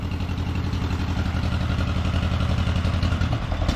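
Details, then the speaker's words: 1953 John Deere 40 tractor after sitting for years, new rotor, choked, throttle up, warming: uneven lumpy idle missing and stumbling about three to four beats a second, then it dies. "Well, that ain't good. Well, it died."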